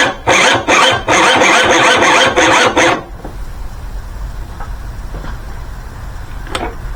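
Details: 1984 Honda Spree two-stroke scooter, sat about 30 years in a shed, ether sprayed in and cylinder lubed: rhythmic rasping starter bursts about two and a half a second for three seconds, cranks but never fires.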